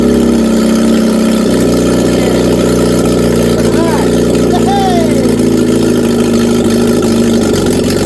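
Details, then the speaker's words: Reliant Regal Supervan 3 engine on the workbench, first run after two ignition leads were found swapped. Steady, clean, regular idle that picks up smoothly when revved; normal running. "hey first run oh yes I've cut it off because I didn't want it to run away that is awesome"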